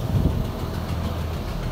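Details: Chevrolet Aveo idling with AC on after replacing a compressor that had no compression with a brand-new one; even low idle hum, smooth steady drone, no knocking or squeal: compressor turning normally.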